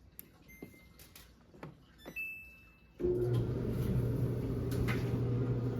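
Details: Samsung dryer after cleaning, replacing the white drum roller, greasing the other rollers, checking fuses and heater; a few light clicks then steady low hum and even drum turn, no scraping or squeal, running smoothly.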